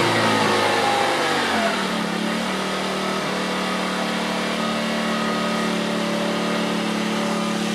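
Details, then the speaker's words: 50cc scooter with $12.99 eBay racing CDI, on Mobil 1 synthetic: screams up to a high, steady buzz and holds without cutting out, no stock rev limiter acting. Normal high revving. "now this is without this is without the limiter on there this is just free ready"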